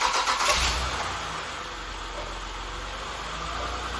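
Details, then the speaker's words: Saturn Vue first start after water pump and timing belt replacement: engine catches quickly and settles into smooth, even idle with no knocking, squealing or misses; runs like new. "all right guys you hear it running like a brand new one"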